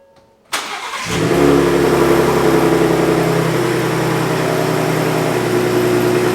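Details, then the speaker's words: 2023 Ford Raptor 3.5L twin-turbo EcoBoost with aftermarket exhaust and stock factory diverter valve, before blow-off valve install: crisp start settling into smooth strong idle, a couple of clean revs, no whoosh off throttle; normal start and rev. "we're gonna fire this thing up give it a couple of revs give you guys kind of a before and after"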